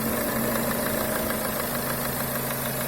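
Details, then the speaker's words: Renault Duster 2.0 after replacing the crankcase ventilation (PCV) valve with the original membrane part, about 1000 km later: even steady idle with light valve tick, earlier quacking noise from left side of engine gone; normal idle. "что могу сказать все в порядке славу богу здесь никакого шума нет который был раньше кряканье это клапан тоже ведет себя хорошо"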